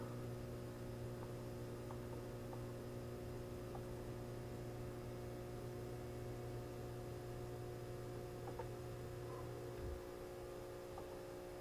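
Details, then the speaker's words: Two Magnum inverter/chargers on a 48 V Trojan L-16 battery bank, first startup on 60 A utility AC input: steady hum with transformer buzz and faint ticks as charging begins and ramps toward 91 A, the low tone dropping out near the end; normal. "right there we go we're charging wow look at that charger is ramping"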